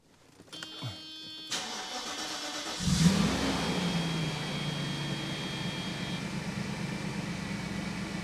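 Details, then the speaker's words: 1994 Mercedes E500 V8 cold start at about 30 degrees in Chicago after reassembly: brief crank, then catches into a steady, even fast idle with no misfire. "Fire it up. It's like 30 degrees in Chicago, so there she goes. Sounds good. Everything works."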